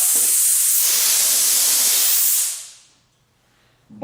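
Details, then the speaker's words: New Ingersoll Rand 20-gallon Garage Mate air compressor on its first run: the tank drain valve below was left open after factory testing, so a loud, steady high-pitched hiss of escaping air is heard. "valve for the drain down below is open. After they tested it, they drained it out of the factory."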